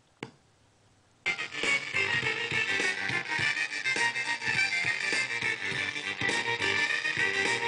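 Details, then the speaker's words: Class B transistor audio amplifier with no bias current, music fed through an op-amp preamp: harsh, crackly, gritty sound on every note, worse at lower volume as less signal exceeds the threshold — crossover distortion. "well that sounds pretty horrible and as I turned the volume lower less of the signal is able to exceed that threshold and you just got more even more about you know it's just a crackling nasty sound"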